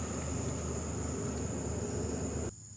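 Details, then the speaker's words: 2021 Kia Niro EV charging on AC overnight at powered campsite, battery hot, about 18%: steady whooshing fan with faint high whine runs evenly then cuts off; battery cooling system working normally. "That's the cooling system the car's kicked on. This has gotten hot charging. I haven't heard it do that yet on a AC charge."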